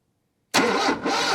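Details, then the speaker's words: 1978 Lada Niva, parked two years, cranking steadily with an even churn but never firing; the coil delivers spark to the distributor, yet no spark reaches the cylinder 2 plug, and the owner suspects the spark stops inside the distributor. "Get absolutely no spark. So my theory is at the moment that spark is coming along that wire into the distributor, and then it just stops right in there."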